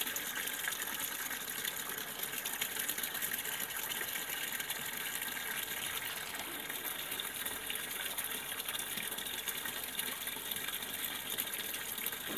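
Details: Sanyo washing machine that won't wash or spin: steady gush of water into the tub without letup, never cutting off; the level pressure sensor is failing to stop the fill.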